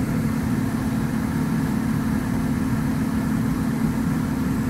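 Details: Replacement PSC blower motor with 10 microfarad capacitor, on medium speed, fitted after the early failure of a Broad Ocean ECM motor: steady, even hum at constant speed, no rubbing, ticking or bearing noise; healthy.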